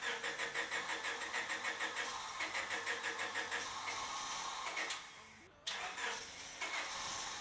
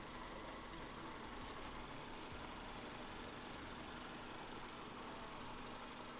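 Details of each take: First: Honda Civic EK hatchback that sat five years, after swapping in a junkyard IACV for a surging idle: long even cranking about three pulses a second before it catches; hard starting persists, owner suspects a fuel filter clogged by tank debris. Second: EK Honda Civic hatch idling warm after about 10 minutes, steady and even with no rise and fall. The surging idle was solved via the IACV, though a slight roughness remains pending plugs, wires and filters.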